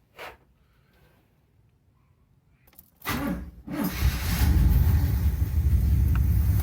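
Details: 1975 Cadillac Fleetwood V8 restarted after valve cover gasket replacement, with oil flow to the top end being checked. After a few quiet seconds it cranks, catches and settles into a steady low rumble: running properly.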